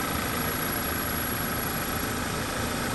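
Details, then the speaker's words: Freshly rebuilt Audi/VW 2.0T on first startup, code P0171: steady idle with a thin, constant high-pitched hiss or ringing; suspected vacuum leak. "i'm testing out a freshly built engine and on first startup i hear a noise do you know what noise i'm talking about there's a vacuum leak i hear a hissing noise it's kind of a high pitch"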